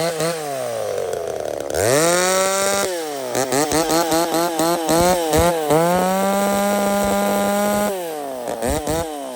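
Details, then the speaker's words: Ported chainsaw "Little Mac", intake timing raised from 67 to 76 degrees, exhaust from 105 to 96, cutting firewood: screaming high crisp revs under cut with little burble; lean running, as tuned. "Sounds like it's just running lean as hell, but that's where it wants to be."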